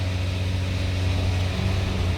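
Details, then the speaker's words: 2009 Chevrolet Malibu with check engine light, before throttle calibration: right after starting, steady fast hum held well above normal idle, not settling, dropping only in reverse; high idle fault. "So let's just turn it on, and as you can see, it goes right away on high idle unless you put it into the reverse."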